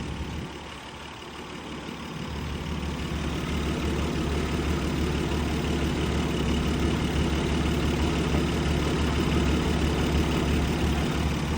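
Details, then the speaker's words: Abandoned 1951 Dodge six-cylinder, just revived after sitting, with a new fuel pump and battery: low, even idle settling in after a couple of seconds, no misses or knocks, running smoothly. Finding: normal idle. "That old Dodge 6-cylinder is running like a fucking song, ladies and gentlemen."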